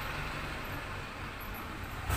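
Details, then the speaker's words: Polytron washing machine, motor runs but the pulsator stops when held: loud rough low rumble with rattle as the drive slips, very noisy; pulsator teeth found broken, unable to take the load. "mesin cuci berputar tapi tidak bisa berputar saat kita pegang pulsatornya Suaranya berisik sekali Apa penyebabnya kalau seperti ini"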